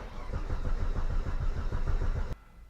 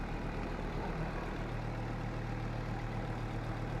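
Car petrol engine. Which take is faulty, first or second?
first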